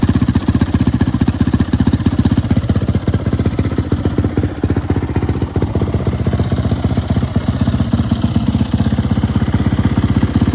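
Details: Turbocharged YZ450F single on E85, 1160 cc injector, very short downpipe: crisp, even exhaust pulses at steady idle, no misses or knocks; healthy and smooth.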